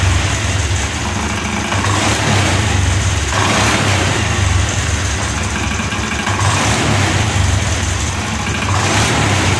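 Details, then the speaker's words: Scooter that had a fault with two non-original injectors, kick-started on a weak battery after fitting an original injector: revs climb cleanly on each blip and settle back to a steady idle without stumbling; normal throttle response. "Ini gas masih tinggi. Nah, turun. Perhatikan Pak ya, untuk tarikan gasnya."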